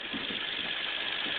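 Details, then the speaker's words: 2001 Toyota Highlander Limited V6 AWD at idle after replacing ignition coils (old coils measured far lower resistance than new); even, steady idle with no misfire or stumbles, check engine light not yet back on, previously P0171 codes. "So these are new ones. So, and now you don't see any misfire, so maybe this was the problem. Or maybe sooner or later I'll replace all the ones in the back. But for now it sounds good."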